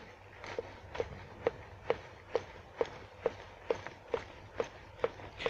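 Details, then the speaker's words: VAZ 2106 removed right rear shock absorber (Moskvich type) worked by hand, sharp evenly spaced knocks about twice a second; knock was internal to the shock, not the rubber bushings as first suspected; left one is fine. "и 2 оказывается стучала только справа не знаю передает камера звука или нет но"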